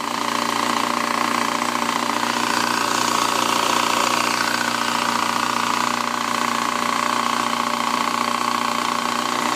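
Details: 2007 Yamaha FZ6 at steady idle with fast, even ticking and light metallic chatter from the lower engine: primary gears not meshing. A clutch piece was wedged between the crankshaft and clutch basket gears. A cam chain tensioner, valve shims and oil pump chain didn't fix it; an engine swap did.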